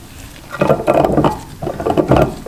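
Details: Yamaha PW80 two-stroke junkyard build: a gritty, crunchy rasp in two short bursts as a worn crankshaft bearing is spun by hand; new crank and bearings follow.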